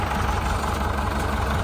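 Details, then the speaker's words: 1972 International Harvester 1468 V8 diesel tractor, first start since last December, idling to warm up: even, deep rumble at low idle with no stumbles or knocks; normal idle. "I always make sure to let it idle for quite a while and warm up cuz these v8's again just a very finicky motor"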